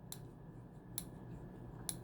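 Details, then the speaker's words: HPI F4.6 nitro engine during rebuild: three crisp light clicks about a second apart as the starter shaft freewheels with the crank held, the ramp clicking against the starter pin, showing the one-way starter bearing is fitted correctly. "That's that ramp clicking against that starter pin. So that's how you know you got it in place."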